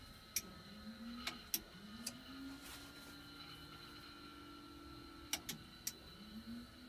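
Small electric motor whirs in short runs, pitch rising as it spins up; a normal trim actuator.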